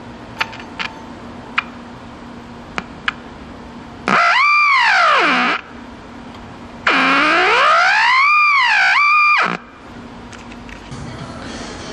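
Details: Packard Bell 35 tube AM radio chassis, old and previously stored outside: two bursts of loud whistling squeals sweeping up and down like a theremin; set oscillating, cause not found, owner suspects a previously replaced resistor.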